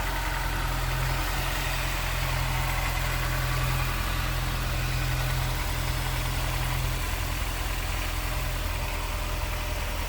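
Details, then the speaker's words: 2001 Honda S2000, 2.0L DOHC VTEC, 6-speed manual, hood open: steady, even idle with smooth low burble, no knocks or ticks; engine sounds healthy and reliable. "Nice and clean and tidy. Sounds good. Looks good underneath there. Reliable power plant."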